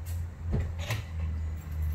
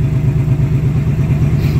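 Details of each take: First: Supercharged 2019 Ford Mustang Gen 3 Coyote V8 (Vortech V3, about 11 psi) after spark plug change: clicks, cranks, lumpy uneven start; misfire because coil on cylinder three was left unplugged. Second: 2019 Ford Mustang Gen 3 Coyote V8, Vortech V3 supercharger, 3.6 pulley, about 11 psi, pump gas with octane booster, after replacing 10,000-mile spark plugs suspected of causing an intermittent miss: deep even burble, firing cleanly at idle.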